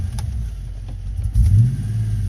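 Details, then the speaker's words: 1990 Ford Mustang GT 5.0 V8, running rough and worsening over time: with throttle applied the low rumble breaks up and misses a lot worse; owner suspects the coil, planning an MSD TFI coil replacement. "so if I give a gas it's missing a lot worse"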